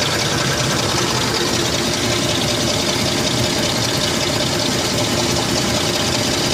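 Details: Lincoln Aviator 4.6 V8 with rough idle and sluggish throttle: loud idle with fast, uneven ticking and hiss. Owner suspects an exhaust leak or bad EGR valve, and noticed gas fumes near the exhaust; unconfirmed.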